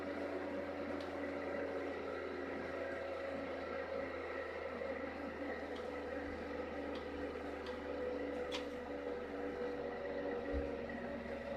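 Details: Rebalanced rotor drum cylinders with center bearing, motor on a table on rubber feet, previous rotor vibrated badly: even, steady hum, constant tone, no wobble or knocking, no vibration felt by hand; smooth balanced rotor.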